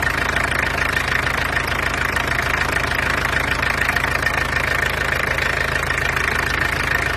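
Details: Peugeot 404 with XD2 diesel running at idle: steady, loud, even diesel clatter with no irregular knock; noisy but runs nicely, a healthy-sounding diesel.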